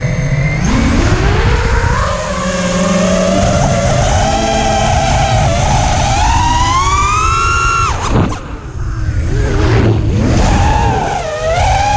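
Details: Newly fitted Emax 2306 2400kv drone motors whine up and down with throttle over a heavy, rough low buzz of vibration; the motors are also getting hot.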